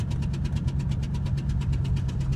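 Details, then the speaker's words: 1999 Ford Expedition 5.4 Triton V8 with a blown-out spark plug, the second in six months on a different cylinder, injector unplugged: sharp, regular puffing tick about eight a second over the idle; blown-out spark plug. "that's what it sounds like when your Tron engines spark plug blows out again 99 Expedition sucks"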